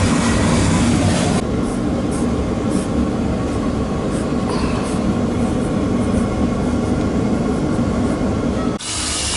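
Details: Boiler oil burner firing after 40-gallon Megastor storage tank replacement, high limit set at 180, heating the tank: steady even deep roar without pulsing, rumble or puffing; firing cleanly, normal operation.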